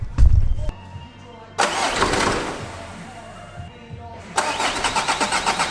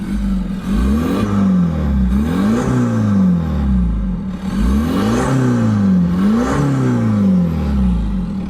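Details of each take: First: Audi diesel (PD, tandem pump) first start after new flywheel, clutch kit and main seal; starter cranks, brief cough (owner attributes to disturbed tandem pump fuel), then even rattly diesel clatter with steady beat, no flywheel rattle — normal idle. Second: Audi diesel on a test drive after a new flywheel, clutch kit and main seal: a deep, hollow drone that rises and falls with revs, rougher than normal. The owner first suspected a detached intake pipe; exhaust is blowing where a clamp came off.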